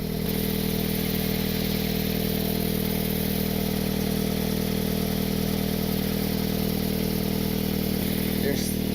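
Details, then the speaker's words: Car idling after exhaust leak patched with roofing cement: even idle with a raspy puffing tick about three times a second; exhaust still leaking, as the flex pipe is completely shattered. "still seems to be a leak right over here I mean the flex pipe is completely shattered"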